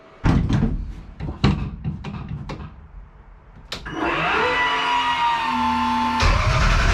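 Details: 1200hp Taurus race engine, open header, after damage to the crank trigger. The starter spins the engine with uneven chugs, then a steady whine, and it never catches. No spark, so it needs a new crank sensor.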